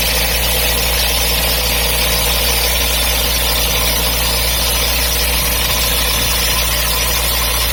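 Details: MGB engine with a new water pump fitted in summer 2019: a steady idle with a constant hiss and whir over the engine beat and no clear knock rhythm. The source of the strange noise is unclear.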